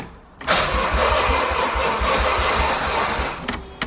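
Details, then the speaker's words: Nissan 300ZX with Mines ECU, first start attempt, nearly empty tank of old gas, no air filter: sluggish, uneven starter churn for about three seconds that never catches; battery too weak to spin it. "Not enough juice."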